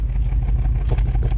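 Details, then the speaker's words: 2005 BMW X5 after VANOS motor replacement: lumpy uneven idle with irregular thumps, cylinders 5 and 6 still misfiring when started and revved; injector suspected, not confirmed. "the sound of a misfire 5 & 6 still missing give us some gas fortunately so right now we probably dealing with an injector"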